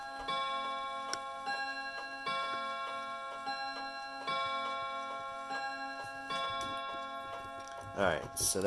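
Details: Herschede Bim-Bam mantel clock on three chime rods, running. Uneven, lopsided tick-tock under ringing two-note chimes: the clock is out of beat, which the owner thinks is fixable.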